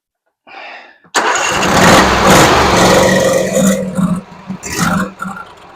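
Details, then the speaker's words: Husqvarna RZ46i zero-turn mower, sat for years, being choked hard to pull fuel through: starter cranks hard with brief sputters that never catch; fuel not getting through a gummed carburetor. "I'm trying to get I'm trying to like super choke it where it's going to pull some of that stuff up in there."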